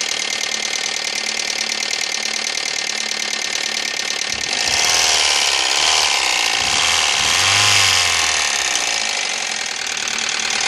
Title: 2000 ford focus knocking ticking noise help what i